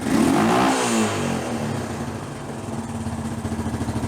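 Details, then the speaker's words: Hard-ridden Honda TRX350 Rancher ATV that smokes and burns oil, poor carburetion, silicone on cylinder: quick rev falls back to thumping idle about three beats a second with loose clatter; worn, likely needs a top end, cam chain rattling. "Yeah. This thing's kind of beat. I'm going to guess the looks of this air filter right here, this thing needs a top end."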